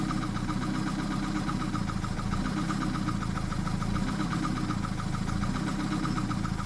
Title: 1991 bmw 318i trying to fix rough idle.